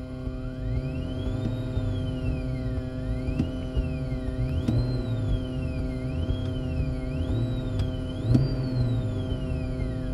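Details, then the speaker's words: Car stereo with engine running, aux device plugged in and charging from car charger: thin electronic whine rising and falling with throttle; ground loop alternator whine, stopped by a ground loop isolator. "You hear that static noise? Now, like I said, the engine is on. This is significant here."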